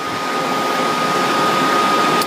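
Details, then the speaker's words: Dell Precision 490 with case open, fans in full-speed test mode: steady loud airy whoosh with a faint fixed tone, no rattle or grinding; normal fan noise at full speed. "which I'm just going to let you hear this because they sound really quiet but this is how they sound full speed"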